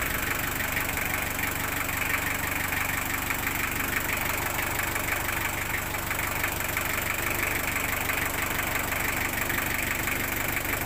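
Steady, even idle with a quick regular pulse and light ticking, no misses or knocking; the engine sounds fine after fresh oil.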